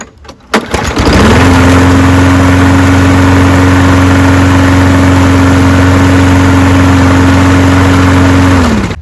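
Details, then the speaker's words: Toro Recycler 22-inch mower with Briggs & Stratton engine, previously pulsating and running rough; after air filter replacement it fires at once and holds a smooth, even drone with no surging; problem solved. "okay I think that was our problem guys"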